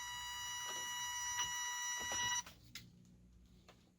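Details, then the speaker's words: Secondhand 1/10 RC car at switch-on: steady high electronic beeping for a couple of seconds, then quiet with small clicks. No forward or reverse, steering works; owner suspects the speed controller needs calibrating or the motor is bad. "okay i got no forward no reverse as if it's not calibrated so we'll have to it wants to take off on me so it probably needs to be calibrated it does not want to go"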